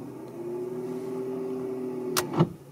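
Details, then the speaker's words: 2006 Mercedes C200 with original starter at 441,870 km: electric whirr spins freely for two seconds, then two sharp clacks, solenoid heard but the engine never turns over; starter not engaging, replaced. "T'entendais la solénoïde, mais il marchait pas quoi."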